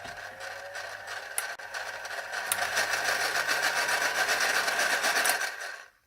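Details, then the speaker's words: Philips hand mixer running: a fast, even rattling buzz at about four beats a second over a thin raspy whine. Dry gears from lack of lubrication; the fix is greasing with Vaseline. "is a lack of lubrication the best one to use is normal Vaseline"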